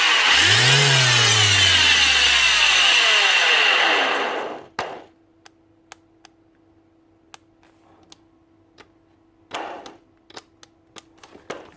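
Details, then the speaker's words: Bosch GEX150AC 6-inch orbital sander spins up with a harsh, loud, gritty high whir, then winds down; worn bearings, also a faulty switch and low brushes. "switch looks like a switch problem and obviously bearings too because it's as load"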